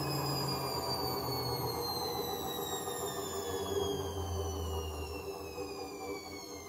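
Loud rumbling roar with several high whistling tones sliding down in pitch as the drum slows: worn-out drum bearings.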